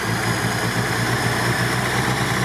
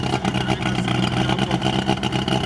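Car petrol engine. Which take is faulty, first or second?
second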